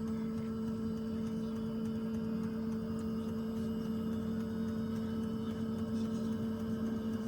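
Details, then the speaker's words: Webasto diesel parking heater in a camper van starting up: fuel pump ticking as it draws oil from the tank, fairly noisy at first switch-on, then a steady even hum with no grinding; normal startup. "기름을 막 당기고 있습니다. 틱틱틱틱 당겨서 이게 이제 소리가 처음에 켰을 때 이렇게 조금 시끄럽죠?"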